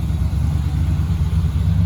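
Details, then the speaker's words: 1966 Chevy truck big block with Edelbrock carburetor, running after gas was poured into the carb because it was not filling: low burbling idle with a slight lope and no knocks or misses; normal running. "oh it doesn't sound too bad actually now that i listen to it"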